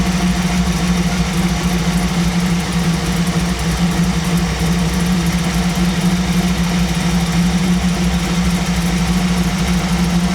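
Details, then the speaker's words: 1937 Buick street rod, new BluePrint 350 crate V8 off choke, idle mixture screws set one turn out, about 850 rpm: deep, even burble with steady rumble and no misses, sounding a little better after adjustment; normal idle. "Let's try one turn out. That sounds a little bit better. Sounds a little bit better. Still about 850."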